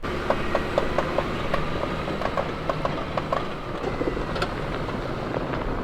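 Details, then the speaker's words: Will's Jeep driving off-road in Idaho: sharp regular clicks about every quarter second over the drivetrain noise from the front end; a front driveshaft U-joint is suspected, and switching to two-wheel drive helped a little. "while I was doing that will has noticed that his Jeep has been making a lot of noise uh sounds like it's coming from the front end sounds like it's coming from The U Joint U on the drive shaft"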